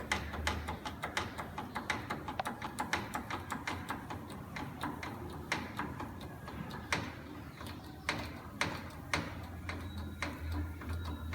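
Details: 2007 Toyota 4Runner, left front jacked with very large force: irregular sharp metallic clunks as the front lower control arm bushing shifts; cause of random clunks over high-speed bumps and when reversing while turning.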